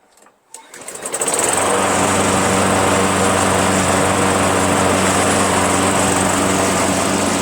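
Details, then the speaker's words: Craftsman 21-inch self-propelled high-wheel mower, 6.5 HP Tecumseh single-cylinder, after carb clean and drive cable repair with a longer, lower-tension spring: catches within a second, steady even drone, no misses or surging; starts easily, runs well. "now we have a high wheel mower it starts very easily runs pretty well and the front self propulsion works"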